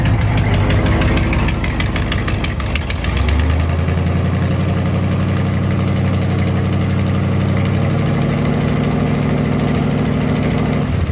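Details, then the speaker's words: 1955 Buick Roadmaster, 322 ci Fireball V8, revived abandoned car, at idle: low, lumpy idle with a faint tick on one side that clears as revs rise; exhaust leak suspected, possibly valve train. "It runs pretty good. I'm ready to get rid of that exhaust leak, make sure that ain't a valve train noise."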